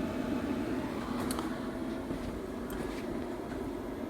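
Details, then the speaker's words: Cooling fan on a Clough42 electronic leadscrew lathe setup running at first power-on, 48 V supply and 5 V present, digital readouts on: steady even low hum, no rattle or wobble; fan runs smoothly. "Okay, digital readouts come on, so that's all right. And I can hear the fan. Okay, so the fan's come on up there."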